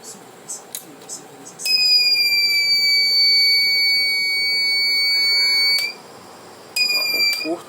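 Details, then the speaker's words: Reliable 03 inverter on bench, supply at 1 A: short cleared but no PWM output; shrill steady beep about four seconds, stops, restarts, alarm from faulty oscillator stage, not a solder issue. "Não, realmente tem um problema nessa osciladora. Não é questão de soldar. Esse barulho é chato."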